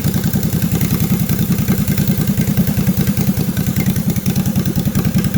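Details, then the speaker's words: Rebuilt 20 hp Honda GX620 V-twin from a Toro Workmaster utility cart, with no muffler, new rings, seals and gaskets, rebuilt carburetor: loud crisp open-exhaust beat, steady and even at fast idle, no knocks or misses; runs normally. "i don't have any muffler on here but that's what it sounds like"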